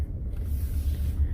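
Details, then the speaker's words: 2015 Ford F-150 Platinum EcoBoost test drive after replacing the driver-side IWE (integrated wheel end) and check valve tube assembly; only a low, even road rumble with no rhythmic chattering from the wheel area; the front hub is fine. "so far so good normally by now i would already hear it chattering i don't hear anything yeah no chatter no nothing"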